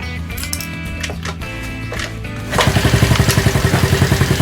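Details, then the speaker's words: Honda CD50 50cc single-cylinder engine after oil-leak overhaul, first kick start on the bench: fires up and settles into an even, quick putter with less abnormal noise than expected; cam chain tensioner noise was anticipated because oil had not yet collected. "思ったほど異音もなくかかっちゃった。"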